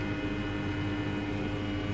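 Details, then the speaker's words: Trianco Aztec electric boiler with unvented cylinder, heating switched on: pump sending flow up through the unit and central heating zone valve activating, steady electrical hum with low pump drone, no knocking; normal zone valve and pump operation. "you can hear the pump running so this is a pump here which sends a flow up through the unit and out the flow [Music] and you can hear that activating for central heating this is essentially it's in the zone valve"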